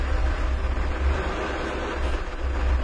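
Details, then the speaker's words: 1997 Mercury Villager, owner reports very rough running over a year, dying and no-start: low idle rumble with slight uneven lope, a little smoother after snapping EGR valve open and closed; rough idle from EGR valve stuck open, diaphragm still works. "This is going to be a stuck open EGR valve. The diaphragm still works, but the EGR valve is stuck open."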